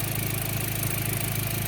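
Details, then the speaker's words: B5 Passat after spliced-in ignition coil pigtails: even, steady but loud idle rumble with no stumbles; formerly sputtered and bumped at idle like a cammed engine, misfire now gone. "But it's not missing anymore, which is good. It used to have like a bit of a sputter to it, like a zip up, at idle, so it's not bumping anymore like it's cammed or something."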